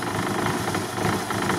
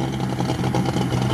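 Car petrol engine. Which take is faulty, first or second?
second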